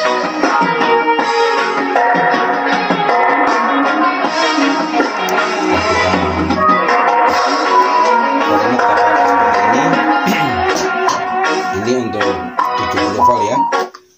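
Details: Small DIY amplifier set to 25 W driving a horn speaker through a matching transformer on the 70 V line: music plays loud and clean, thin on bass, normal output.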